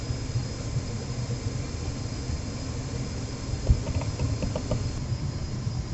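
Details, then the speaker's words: Trane XR80 gas furnace after the blower motor and capacitor were replaced: an even, low hum and airy rush that hold steady with no rubbing or squeal; the blower is running smoothly. "but I believe that the motor's running matter of fact I can hear it not hear it I can feel it you put your hands on it you can feel that fan"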